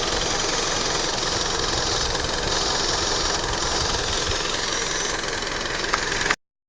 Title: Lancer Motorgeräusche